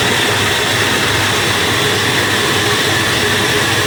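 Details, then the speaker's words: Flour mill (chakki) with the feed opened and pressure applied: loud steady roar of constant pitch with slight vibration, grinding evenly with no knocks or rattles. Normal running under load. "इतना सा तो करेगी दोस्तों, देखो। गाला चालू करते हैं, दाब लगाते हैं पहले। हल्का पूरा वाइब्रेशन तो करेगी।"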